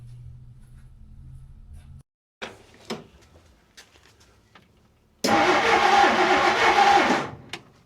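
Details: Long-stored 1959 Plymouth Fury, sitting 38 years, with points ignition; about two seconds of steady cranking that never catches while an inline tester confirms spark and some compression; turns over fine but getting no fuel.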